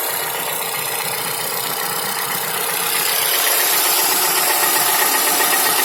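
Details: Toyota Camry XV55 2AR-FE, fully warm engine at steady idle: fast even ticking knock about four per second without load; dealer found nothing, connecting rod knock ruled out, chain checked fine, cause unknown: engine knock at idle.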